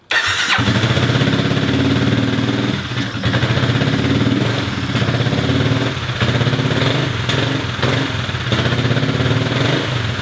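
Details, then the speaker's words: Kymco scooter with new fuel leak: small engine idling with slightly uneven beat sagging every few seconds; owner calls it a weird idle problem, plans to order injector part, cause unconfirmed. "I have now a new fuel leak here. It's got a weird idle problem."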